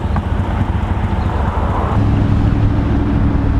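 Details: Chrysler 300C Hemi (LX platform) with a broken flex pipe exhaust leak: a deep, uneven rumble with a raspy edge that swells as revs rise, plus some wind noise.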